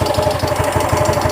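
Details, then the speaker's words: Yamaha Mio M3 125 scooter that earlier ran out of oil and now burns oil fast, idling with the CVT removed: fast, steady knock about seven raps a second from the front near the piston; mechanic suspects piston, possibly con-rod. Piston slap; bore later found worn. "kita cek hidupnya bagaimana soalnya ya mungkin kedengaran ada suara saya guys dulu tuh terasa di bagian depan sini ya kayak di bagian pistonnya"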